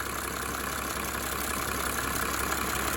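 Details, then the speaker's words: 1987 Mercedes 300 SDL, OM603 six-cylinder diesel, after replacing a squealing remanufactured alternator with dented bearing shield: steady, even idle with smooth unbroken rhythm and no squeal or whine; normal idle. "And no more squeal. That is what that was. I love the 6-cylinder engines from Benz. They're just smooth as silk."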